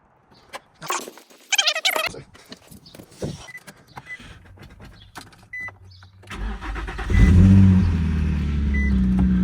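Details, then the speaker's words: Infiniti G35 VQ35DE V6 started after a coolant refill, before warm-up, running with no exhaust fitted. Cranks, catches, then settles into a harsh, very loud, raw idle roar. Engine running with no exhaust. "Oh yeah, she needs an exhaust."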